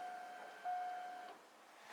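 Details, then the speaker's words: Subaru JDM EJ20 SOHC, freshly rebuilt with a CX Racing dual ball bearing turbo, no air filter, fuel pump cycled before first start attempt: faint steady mid-pitched hum for about 1.5 seconds, then stops; normal fuel pump priming. "I think it's the moment of truth to see if she's actually going to start so I'm gonna just cycle the fuel pump and if you can hear it"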